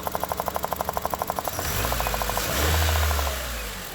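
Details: 2001–2005 Honda Civic EX at idle: sharp, even ticking or popping about four times a second, covered by a rev; the cause was a bad, leaking fuel injector O-ring.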